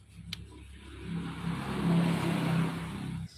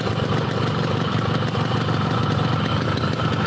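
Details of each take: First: Yamaha RX King two-stroke with a customer complaint of stutter at low rpm: a choppy, uneven note that stumbles as revs rise. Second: Yamaha RX King two-stroke, brought in for stuttering at low rpm, after work, hot: steady, crisp idle with even beat, no stumbling or hunting; running cleanly.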